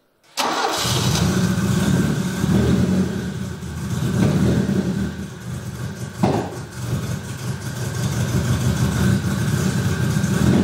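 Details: Opel Manta B 2.0E CIH fuel-injected engine running: lumpy, uneven, stumbling beats and wavering revs instead of steady idle; misfiring, traced to incorrectly set breaker points, not engine damage as viewers suspected.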